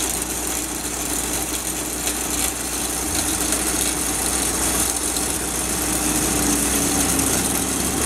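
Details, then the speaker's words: Isuzu-powered core drill rig diesel started on a cold morning: starts very easily, steady even diesel clatter at idle with no misfires or heavy knocks; normal idle. "The thing starts up very easy. It's kind of cold this morning. We'll start it for you."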